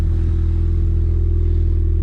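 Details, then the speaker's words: Startup and idle of a molten orange 2013 Ford Fiesta ST180 track car with Mountune parts and Milltek resonated exhaust, after refitting the turbo elbow: steady, even low rumble with regular firing beat, no knocks or misses; normal healthy idle. "Right, a little start up. You can hear him running."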